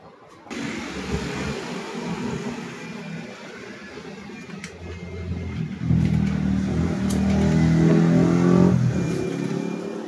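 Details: NS160 FI motorcycle that would not start for lack of spark despite a replaced ignition coil, now repaired. It catches and settles to a steady idle, then revs smoothly and drops back cleanly with no misfire or stumble.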